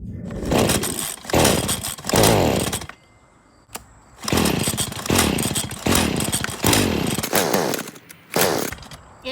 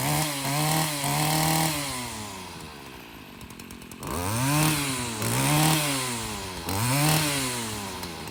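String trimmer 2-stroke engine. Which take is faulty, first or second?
first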